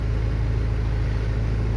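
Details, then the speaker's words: 2007 Land Rover Defender diesel with immobilizer no-start (10AS alarm system, suspected pin fitment issue), started while diagnosing: steady even low rumble, no misses or knocks; engine idling smoothly, normal idle. "if it was something like it's supposed to come halfway and go back down but now the vehicle is running perfectly and you can also see it's running"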